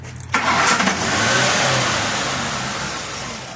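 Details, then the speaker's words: 2003 Mercury Grand Marquis 4.6 L V8 after an idle air control valve and gasket repair for the idle "yodel" squeal: the yodel is gone, but the idle flares high then sags and hunts. "So no sound, but kind of idled a little bit weird. Idled really funny. Yeah. Way up, way back down."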